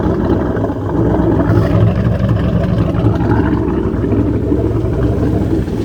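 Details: Jersey Skiff JS39 17ft Bender boat, inboard 350ci V8 of about 400hp with Edelbrock aluminium heads, upgraded cam and Holley 600cfm carb, idling on shore water after a 2-year rest; low steady burble, no knocks, misses or grinding, healthy.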